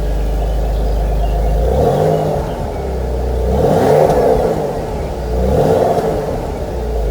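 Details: Cold start of a 25-year-old BMW E46 inline-six of 150 hp: a smooth hum through a few quick blips that rise and fall cleanly, then an even idle. A normal, healthy engine.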